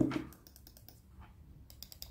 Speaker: biraz daha iyi yenisinde Evet yenisi biraz daha yumuşak yenisinin hissi kesinlikle eskisinden biraz daha iyi yani onu söyleyeyim